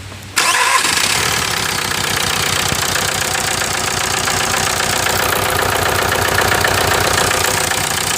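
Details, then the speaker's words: 1998 VW TDI diesel, about 500,000 miles, running almost entirely on waste vegetable oil; at start-up and idle, an uneven, lumpy misfire with harsh chuffing blow-by from the crankcase; low compression in the second cylinder from the passenger side, from stuck piston rings. "It's when it's got the lower compression, which is indication that the rings are getting stuck due to turning the running pretty much almost 100% on vegetable oil. So I'll start up and you can see the misfire and the blow by."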